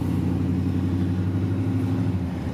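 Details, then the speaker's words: Chevrolet K1500 truck after fuel pump replacement still stumbles and sputters with low uneven rumble on takeoff between roughly 500 and 1000 rpm; 1000 to 2000 rpm seems normal. "It's just getting that initial takeoff, getting past, the 0, I guess the 500 to 1000 mark. That's the initial problem."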